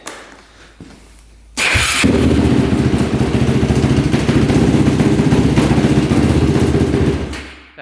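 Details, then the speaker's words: Hot restart of a 2005 Yamaha YFZ450 quad: it catches instantly into a strong, even single-cylinder thump through a very loud pipe and holds steady. It runs clean with no leaks, and strong exhaust pressure suggests high compression; this is a normal hot restart. "I think it's running pretty good and it starts right back up I mean instantly"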